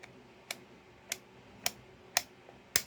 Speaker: The little BB rides on one side of this, and another one rides on this side. And so as you turn it, it goes click, click, click, click.